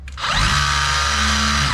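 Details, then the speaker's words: DeWalt 54V hammer drill after hammer mechanism rebuild, tested in spin-and-hammer mode; motor spins up to a steady high whine with fast, even hammering, machine shaking; normal hammer action. "You can hear the hammer work. Even the whole machine is shaking now. So that means it works."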